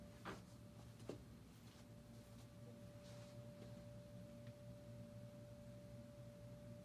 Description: Whistling noise from the window, however, the business office didn’t fixed it for a year!